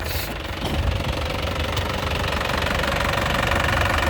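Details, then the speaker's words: Isuzu 2016 LS Turbo diesel, factory-original, dry engine and turbo with no oil seepage, warm: even clatter about three beats per second, steady, no stumble or misses, no smoke; healthy idle. "Lur untuk suara mesinnya ya suaranya benar-benar istimewa Lur suaranya benar-benar nya kayak mobil baru enak di telinga suaranya mesinnya tenang tidak goyang tidak pincang ya"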